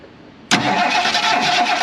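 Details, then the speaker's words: 1977 Mercury Grand Marquis parked 10+ years: the starter cranks steadily but the engine never catches, with no spark at the coil wire; the points are to be cleaned next. "all right so we don't have spark there's our first problem"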